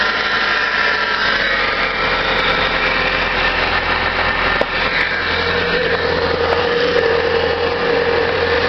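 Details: 1997 Subaru Outback with blown head gasket, running very low on fuel; steady drone with an uneven, lumpy beat and faint hiss. Rough running, cause not pinned down, before it ran out of gas.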